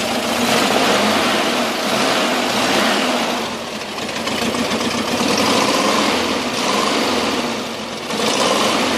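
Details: VW Camper 1600 twin-port engine at cold idle with a tinny, uneven knock about three per second that goes away when warm; not fan or alternator related, source unknown.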